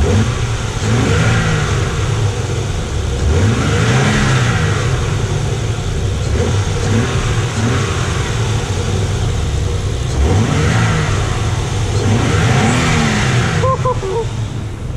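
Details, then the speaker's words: 1992 Nissan 300ZX twin turbo six, first start in 16 years after new injectors and wiring work, heard outside: engine runs strong and rises and falls cleanly through throttle blips with no misfire, rattle or miss; no check engine light, sounds healthy. "damn sounds real good everything seems pretty fine no check in July which is good"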